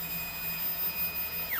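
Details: Eclips3D prototype 3D printer, bed moved down on Z via G1 command at F6000: faint steady high motor whine, smooth and even, no knocking or skipping; normal Z-axis travel.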